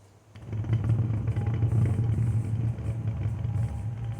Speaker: talking about bumpy rides and noise in the wheel here's a big example it's a lot of flat spot in this thing